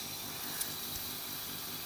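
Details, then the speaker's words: Ford Cougar: steady high hiss with no rhythm, fuel pissing out of a leaking fitting at the top of the pump output while the swirl pot stays full. "at the top of the output of the pump pissing fluid running out okay"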